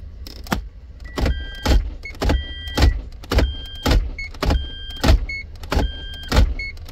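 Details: Toyota MMT semi-automatic gearbox, P0810, clutch actuator previously repaired: short whirs in quick pairs while the selector is cycled to reverse in clutch current graph mode, with current readings around -19 to -20; suspected clutch bushing fault, not the actuator.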